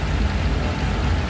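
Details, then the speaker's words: Honda Click 125 V3 scooter at 3,000 km, noisy when the engine is cold; deep uneven rattle from the CVT belt drive, traced to loose, worn sliders that need replacing, while the rollers are still usable. "Ito lang slider kasi dapat ito hindi maluwag kailangan masikip yan masikip to kasi ang trabaho niyan umaangat yan diyan e p ganon pag nag-vibrate siya kasama sa Inay An"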